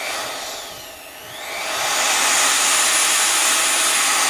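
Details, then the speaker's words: Vevor 5120 plunge router, 15 A, 3.25 hp, variable speed 1-6 (12,000-23,000 rpm no load), no load: high whine eases, then ramps gently to a steady top speed; normal smooth soft start, responsive. "It has a nice soft startup. I like that. Very responsive."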